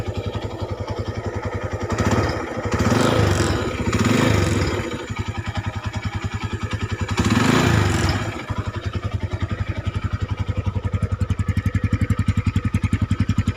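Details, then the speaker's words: Honda Tiger 200cc single after fixing rough noise and cam chain replacement: fast even idle pulses and smooth throttle blips, no rattle; smoother with the clutch pulled and throttle more refined than before; normal idle. "Sonya kalau dipencet kopling halus banget dan digasnya juga lebih pulen enggak kayak sebelumnya"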